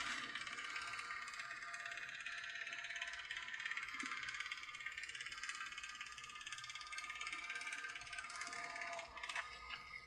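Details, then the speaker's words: Lemax Day of the Dead animated figure with replacement 300CA motor: rapid bright plastic clicking under load from a warped drive pulley smacking and rubbing the housing bottom; an unscrewed vibrating plate also contributes; much quieter once fixed. "that loud clicking sound that was earlier it's much quieter now is the pulley is warped and the pulley was smacking the bottom and rubbing it"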